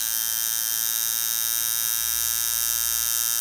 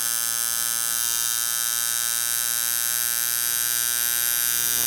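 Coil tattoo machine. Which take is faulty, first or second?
second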